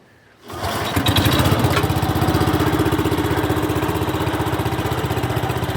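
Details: Restored 1972 Brott 320 flail mower started with choke set and a little throttle; centrifugal clutch engages the flail at higher rpm. Engine catches within a second and settles into a steady, even single-cylinder beat as the flail spins up; normal start and run.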